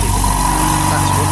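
Short clip of a steady, even low hum with a faint constant whine; the oil-less pump runs smoothly with no knocks or rattles.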